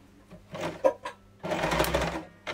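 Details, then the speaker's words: Sewing machine bobbin winding driven by the foot pedal, thread sometimes held by hand: short bursts of light, fast whirring as the pedal is pressed and released, winding by itself. Normal bobbin winding. "it will just wind it by itself. Sometimes I hold the thread. When it's faster it's fly away, but most of the time it's in control."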